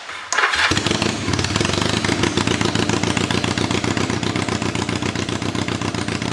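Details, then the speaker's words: 1983 Kawasaki KZ440 cafe racer, before the exhaust is modified with hot dog mufflers: starts with a bang, then a very loud, blatting idle with uneven, stumbling exhaust pulses; cause unknown. Rough running engine. "my God is it loud this bike is running extremely rough at the moment but we definitely need to address that exhaust system because that sounds absolutely woeful"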